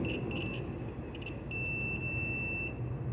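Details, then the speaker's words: Samsung 11 ft refrigerator whose compressor won't start: multimeter continuity test across the compressor motor windings; short high beeps then a long steady tone as probes touch, windings have continuity, coil not open. "we are going to test continuity that has Sonorous continuity so that it can guide it we are going to test it we are going to test the coil and continuity with each other"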